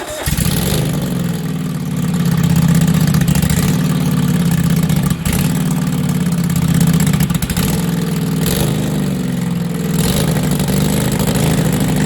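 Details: Lawn tractor with new self-welded exhaust, unfinished: loud small engine starts and idles with raspy puffing on every firing stroke; exhaust leak at front, not the welds but a loose seal where the pipe enters the manifold.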